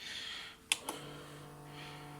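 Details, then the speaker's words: Tascam Portastudio 488 MkII cassette transport: two button clicks, then a steady low motor whir without tape movement as gears try to raise and lower the head assembly; three LEDs flash; gear C is broken. "So and when I removed my finger from that switch, then there was whirring again, because gears are trying to turn to retract and lower this head assembly, but it can't do it because the gear C is broken."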